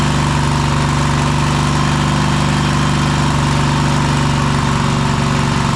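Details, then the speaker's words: Cub Cadet Super LT1554 with a 27hp Kohler V-twin, 500+ hours, after head gasket replacement and throttle cable adjustment: steady deep V-twin drone at fixed speed, no misses or surging; running clean, rpm could still be raised further. "Well, that's a lot better. Um it probably can come up some more, but we'll test it with that for now."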